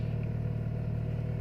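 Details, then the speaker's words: Timor DOHC engine, cold morning start: idle held above 1000 rpm, possibly up to 1500, until reaching operating temperature; smooth, even low hum with no misses or knocks; normal cold fast idle. "Hai pada saat ini posisi RPM bertahan di 1000 lebih Hai Bisa Rp1.500"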